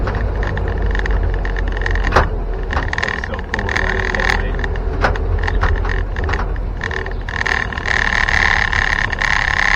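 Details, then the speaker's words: 1961 Land Rover Series 2 109" station wagon with fully overhauled new chassis, driving: loose, irregular tailgate clatters over engine and road drone, caused by using too-thin rubber bumpers on the tailgate; not a defect, owner plans thicker bumpers. "And sorry about the rattling. I'll fix that. Not a defect or something, it's just me. I should have used a thicker rubber bumper."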